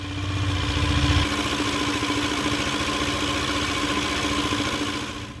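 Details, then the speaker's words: Yamaha Aerox 155 scooter after resealing the leaking CVT cover: brief starter crank, then a steady, even idle with a constant tone and no knocks or rattles; start test OK. "Coba kita tes starter aman ya"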